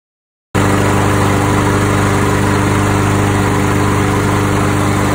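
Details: Craftsman 7.25 lawn mower after carburetor cleaning (had been run without gas): starts at once and settles into a steady, even single-cylinder drone without stumbling or surging; running normally.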